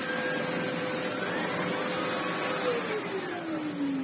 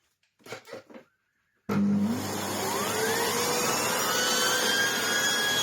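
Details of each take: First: Red Sebo C2 Total vacuum with Sebo air-driven turbo tool: suction quite high but brush spins very slowly, steady rush with whirring tone sagging lower; slow turbo brush from low airflow, head needs full refurb. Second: Old red Sebo C2 Total vacuum, previously lacking airflow with a lackluster turbo head: motor starts with a rising whine settling into a strong steady roar and smooth brush tone; much happier now, owner thinks the only fault was lack of airflow; normal running.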